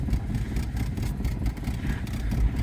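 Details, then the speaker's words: 1982 Saab 900 Turbo barn find, first start after sitting: slow, lumpy idle around 500 rpm with uneven low thumps, sounds like it is missing on a cylinder and barely holding idle. "all right well it does something it Idols like at 500 RPM but it sounds like it's running on"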